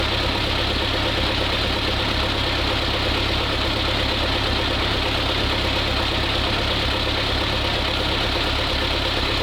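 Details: Old ZIL crane truck diesel, no oil pressure reading yet, test run during restoration; steady even idle clatter, no missing beats or knocks, smooth, running more crisply than before: normal idle.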